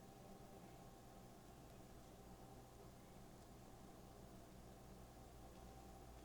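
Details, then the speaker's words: PNY RTX 5080 Slim dual-fan graphics card under load in an ITX test bench after a few minutes: soft, steady fan whoosh over a low, even hum with no ticking, much quieter than a three-fan card. "I don't think it's going to get any noisier than that. It's a much quieter GPU. It is way quieter under load."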